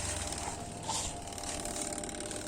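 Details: Old washing machine's spin-dry tub after repair: steady, even spin with smooth motor hum and light whirr, now normal and no longer noisy. The spin tub has no brake, so it freewheels.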